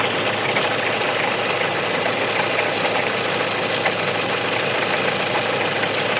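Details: Hyundai engine at steady idle with a light, irregular ticking rattle over the hum, from a faulty alternator pulley.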